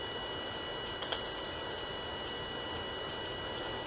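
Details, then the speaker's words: UMX F47 Corsair RC plane transmitter binding: over faint steady hiss, two quick high-pitched chirps about a tenth of a second apart, the normal bind confirmation sound. "And it should make that sound right there, the high-pitched beeping sound."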